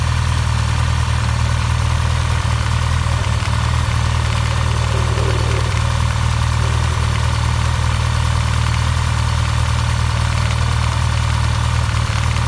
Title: 2016 Honda CB1100EX Abnormal engine noise